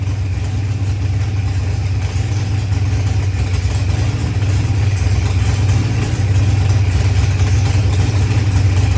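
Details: New ProCharged LS engine with 12-1 crank trigger wheel, after first start: steady, deep, even engine note holding smooth for nine seconds with no stumble; engine running right.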